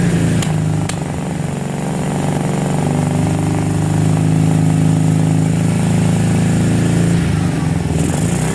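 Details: 2006 Kawasaki Brute Force 650 quad, warm, front valves reset to 0.008 and 0.004 intake: V-twin running unevenly, with sharp pops and an irregular beat, spitting and backfiring through the front carb. Clogged fine carburetor jets; cleaning fixed it.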